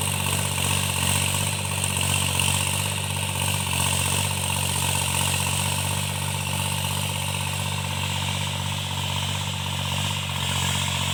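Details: Tractor diesel cultivating a field after its engine knocking was repaired: a steady, even drone under light field load with no knock. Normal running after the fix.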